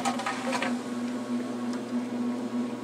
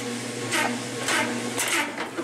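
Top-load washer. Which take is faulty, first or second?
second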